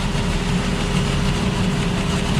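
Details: 2005 Ford Escape 3.0 V6 with no misfire codes stored: idle runs rough with a slightly uneven low beat and one cylinder dropped out; it is misfiring on a rear-bank cylinder under the intake manifold, where unplugging coil 3 makes no difference.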